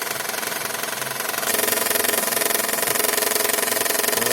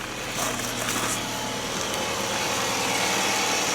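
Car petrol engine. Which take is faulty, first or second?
first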